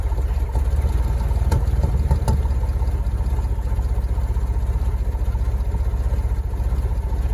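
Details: Porsche Boxster hardly running: lumpy, uneven rough idle with pulses stumbling and sagging; owner suspects it is running on only 3 cylinders, not confirmed.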